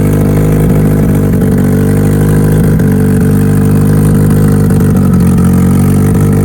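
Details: Mitsubishi Evo on its first cold start of the day after both fuel pumps were installed: settles into a smooth, even idle with steady firing and no knocks or misses. Normal cold idle.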